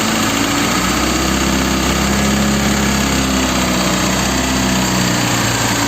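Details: Chrysler 2.4 engine in a Volga at idle: busy, clattery running with a rapid, harsh tapping mixed in; engine knock of unclear source.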